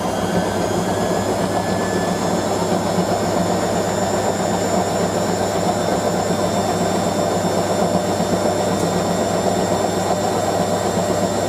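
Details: Hotpoint 9530 Electronic 1000 Plus washer, Programme 4 50°C coloured synthetics, polyester/cotton load, intermediate spin: steady even motor hum with faint whine, no thumping or knocking; load slightly unbalanced, drum running fine.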